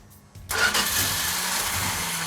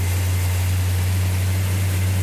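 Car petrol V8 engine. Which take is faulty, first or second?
first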